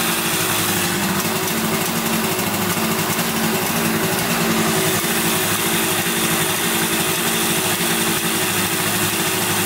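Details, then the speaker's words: 1971 Yamaha CS200 twin two-stroke, sat over 17 years, recently revived: lumpy, uneven idle with lopsided beat; owner suspects one cylinder not sparking, running on one; later spark found, left cylinder 125 psi compression, plug swap planned. "looks like it's only running on one cylinder here. This one's not sparking or anything."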